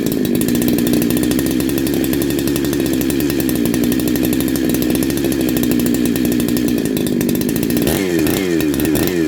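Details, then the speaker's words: Neo-tec NH872 chainsaw (372XP clone), big bore kit, first start, getting hot on a 31° day: steady high buzzing rev with crisp, consistent firing, a bit noisy but sounds good; normal running. "bit noisy but yeah that sounds good happy with that"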